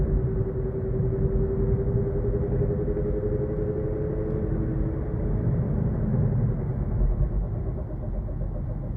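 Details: 2023 Kia Niro EV at 8,500 km: deep steady rumble with faint wavering mid-pitched hum from the drive unit while driving; abnormal, persisting after dealer checked and replaced parts from tires to axle shafts.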